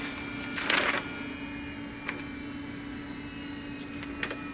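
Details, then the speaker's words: Laser printer running an HP 98A/98X (Canon EP-E) toner cartridge after resealing it, fixing black marks printed on the back of pages; steady low hum with light clicks as paper feeds, no scraping or squeal; perfect print with a clean back. "Perfect. Perfect printout. And a nice clean back."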